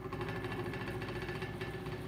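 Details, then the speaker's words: Antique 12-inch Diehl oscillating three-speed table fan with steel blades, from the late 1910s or early 1920s: steady motor hum with a faint dry rattle at constant speed; the roughly 100-year-old bearings are slightly worn. "you can hear the pairings are a little worn on it this fans around 100 years old that's to be expected but otherwise it runs pretty well"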